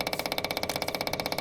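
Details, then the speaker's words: Branson 4720i diesel tractor, spring service with new 3263 fuel filter: quick, perfectly even ticking, engine off, as the electric fuel pump primes the filter; normal. "As you can see, you can hear the uh fuel pump kick on, which is right up there. And it is filling."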